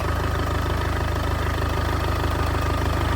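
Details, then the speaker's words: Damaged 2.0 TDI Audi A3 saloon that would not start; starter motor wire found hanging loose, then started: steady, even diesel clatter about three beats a second, no misses or knocks; normal idle. ">> Yep. >> She runs and it sounds good as well."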